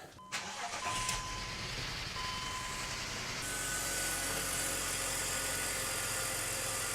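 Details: Manual 2006 BMW X5, 270,000 miles, being warmed up for compression test: starter catches quickly into a steady, even idle with faint whine and no stumble; the usual intermittent misfire/poor running isn't showing now.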